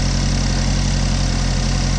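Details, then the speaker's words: 2015 GMC Terrain with a P0010 code, microphone under the hood: a steady, deep idle with a rough, raspy puffing edge from an exhaust leak underneath, somewhere between the engine and the KO pack. "let's see what we can see and see what we can hear definitely got an exhaust leak"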